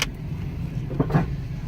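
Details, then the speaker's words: Jeep Compass, about 150,000 miles, ABS and traction control lights on, driving: under low rolling rumble, two dull loud thumps from the front end; front suspension clunk from a worn strut. "oh my goodness let me see something good Lord that is loud okay let me hurry up and get in the shop I have to inspect it"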